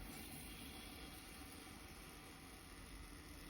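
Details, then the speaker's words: Older Worcester combi boiler being refilled through the white-key filling valve linking cold mains to the heating circuit: soft, steady, even hiss of water rushing in, pressure gauge rising, no knocking or gurgling; normal filling sound. "So now what we need to do is open this tab. That's going to let pressure into the boiler. So we twist it this way. You'll start to hear it hissing."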